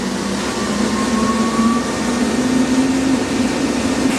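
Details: New grain dryer fan one starting up in the evening: smooth airy rush with steady hum rising in pitch as fan spins up, no rattles or scraping; fan running normally.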